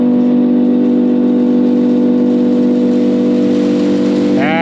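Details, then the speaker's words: Silo unloader switched on after repairing its collector ring, being lowered: steady even hum with no knocking or grinding, pitch rising smoothly at the end; normal running, working the way it should. "all right this is working the way it should be"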